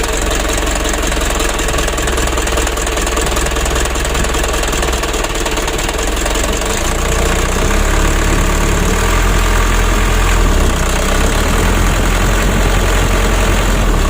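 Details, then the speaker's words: Mitsubishi 120 PS Ragasa diesel truck at part throttle: lumpy, limping, vibrating beat about twice a second, cabin shaking, worse when hot. Addressed by servicing the nozzles and setting the Bosch inline pump plungers. "seperti ini teman-teman kalau kita gas tanggung serasa pincang atau bergetar mesinnya ya"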